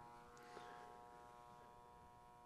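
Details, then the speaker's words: HVAC electrical training board with gas furnace controls, after replacing a bad R thermostat wire and jumpering R to W for heat: faint steady hum with fine buzz from the general purpose relay, indicator light off, fan runs. "so i hear the general purpose relay buzzing but i don't see the light right here"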